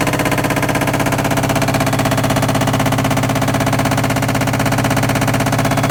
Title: All in one washer dryer combo making very loud noise only during spin cycle.